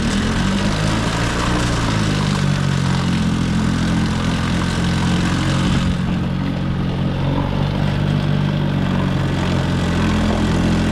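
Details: 1950s Evinrude 3 hp two-stroke outboard after carb work, on 24:1 fuel-oil mix. Steady, even putter holding a constant pitch with no stumbles or surging; idling cleanly.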